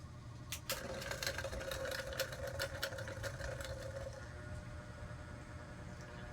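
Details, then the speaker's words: Old cheap clip-on electric fan after repair, parts adjusted and retightened: quiet steady motor hum with only a few faint light ticks, no rattle or buzzing; normal running. "guys, hindi na siya maingay. Tahimik na, makakatulog na tayo ng ayos. Walang maingay."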